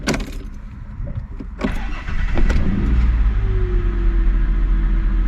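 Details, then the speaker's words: Mazda Bravo B4000 ute after idle control valve replacement, repeated cold starts: a few clunks, then it catches straight off the key and climbs smoothly to 1,750 rpm fast idle; clean, healthy cold start. "so you see went up to 1,750 that's what this Ute should do when you go to cold start it should be straight there no no issues at all"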